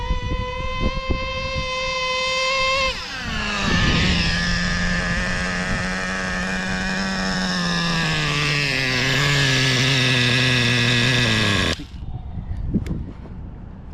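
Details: Used Traxxas Slayer Pro nitro RC engine, just cleaned with new O-rings, during a fuel-line pinch test: high steady buzz that dies within about one second of pinching. Low-speed needle is set lean.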